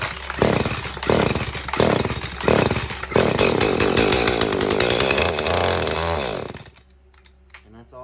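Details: Echo CS-310 chainsaw, about three years old, warm, no choke, clean carburetor, idle and high/low screws adjusted. It fires in bursts only on primer-bulb prime, runs raggedly a few seconds, then dies; it seems fuel-starved. Cause suspected, not confirmed.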